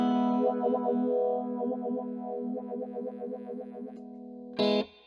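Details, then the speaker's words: MXR Phase 90 EVH pedal, dropped and stuck on, popping traced to a low battery and now run from a power supply: distorted guitar chords with smooth, even phase sweep, no crackle or dropouts; normal phaser effect. "there it is was just a little low on power okay [Music]"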